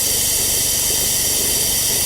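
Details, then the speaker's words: Cheap Porsche 911 Carrera cooling system vacuum-filled with a Shout detergent flush mix via a compressor-driven venturi filler. A loud steady hiss with gurgling as the gauge nears 25. Afterwards it holds about 23–24.9; the compressor may be low on air. Normal vacuum fill. "Come on, man. You can do it. You can do it. I hear some gurgling going on here."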